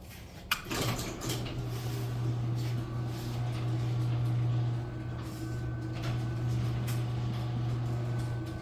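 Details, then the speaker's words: Garage door opener after broken springs replaced with brand-new springs; one sharp snap as the door starts moving, then steady low hum while opening smoothly; technician says new springs not yet straight cause the snapping, may need more adjustment. "Yeah, it's opening up nice and smooth, but at the beginning there was some snapping noise."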